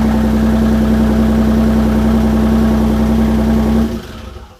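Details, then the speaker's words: Audi B5 S4 after a year-and-a-half overhaul with a ported intake manifold, first start after fitting the battery: a steady, even idle with a loud, raw rumble from mid pipes only and no rest of the exhaust. Healthy engine, just loud. A fuel leak from the rail was found. "Oh, it runs. It runs. It runs. That was, Loud. well, it's only got mid pipes on it right now. It don't got anything else on it."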